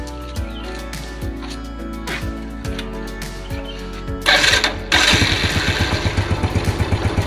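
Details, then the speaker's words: Yamaha Vega ZR after repair of its sputtering (brebet) problem, ignition cables checked OK: test ride pulls cleanly with steady, even firing as revs climb, no stumble; the bike feels light and the fix appears to work. "hai oke mas bro tarikan pertama anteng motor terasa enteng juga oke sepertinya"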